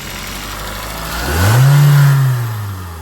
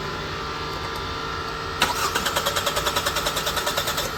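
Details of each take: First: 2018 Hyundai Tucson 2.0 L four-cylinder with voltmeter on crank position sensor: engine rises smoothly from idle to a short rev and falls back evenly, sensor output about 9 V AC at idle rising to about 20 V; healthy running. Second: 2018 Hyundai Tucson 2.0 L four-cylinder with crankshaft position sensor unplugged: two bursts of steady cranking about three turns a second, never catching; no-start caused by the unplugged CKP sensor.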